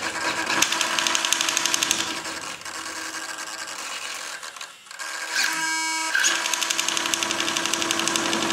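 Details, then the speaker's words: Hitec 7950TH servo on an RC aircraft rudder, linked to the control surface; holds solid when disconnected: rapid uneven buzzing chatter about three pulses a second at every position, worse when touched; servo jitter, hunting instead of holding. "still if you touch it it all then it goes off if you move it at all"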